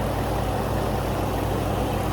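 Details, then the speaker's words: 2019 Ford F-150 5.0 V8 after replacing bad VVT/VCT solenoids that caused stalling at idle: low, even idle with steady throb and no stumbling or dying after long idling and a 3-mile drive; stall fixed. "She's running. Hasn't shut off yet. It's been sitting here idling for I don't know how long, and I've driven it for 3 miles."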